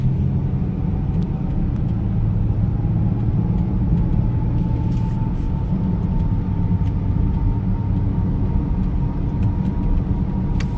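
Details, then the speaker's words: Mercedes ML350 road test at cruising speed after maintenance, minor oil around seals: steady low road rumble and tire roar, no clunks, knocks or grinding from axles, suspension, control arms or tires, no swaying; normal road noise. "yeah nothing's really standing out as far as like oh i shouldn't be hearing this noise i shouldn't be feeling this swaying or nothing actually feels really nice"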